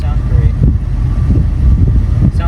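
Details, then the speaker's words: 1987 Chrysler Fifth Avenue that sat a while on old gas, just started after pumping the gas while cranking: loud, uneven, lumpy idle with revs sagging as if it wants to die; rough idle, cause unconfirmed. "like it wants to die. Is this what it was acting like? Not quite as bad."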